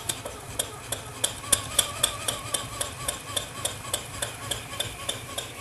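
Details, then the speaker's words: PM Research 6CI horizontal steam engine kit (1.5 in bore, 1/4 HP, ~250 rpm top speed) running on compressed air without load: crisp, even exhaust chuffs about three and a half per second, no knocks; normal unloaded running. "so there it is running without a load on it"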